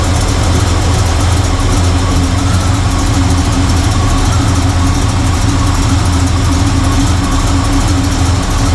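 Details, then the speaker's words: Squarebody Chevy with Blueprint 350 V8 idling after setting both mixture screws to 1.5 turns: loud, steady, even rumble with no obvious misses; it runs slightly better, but vacuum still won't reach the green and a vacuum leak is suspected. "Because again, it actually seems to be running a little bit better than it was. But I'm just worried that there's a leak and the fact that I can't get it into the green."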